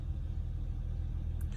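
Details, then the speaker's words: Acura TL after replacing the cylinder 1 spark plug to cure a misfire and power loss: quiet, even low idle rumble with no stumble or skipped beats, running smoothly; check engine light still on, believed from a transmission module (P1717). "but uh no it sounds sounds great"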